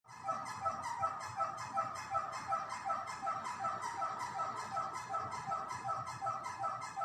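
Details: A fan makes a regular high squeak that repeats a bit under three times a second, steady with each turn of the fan; the cause is unknown.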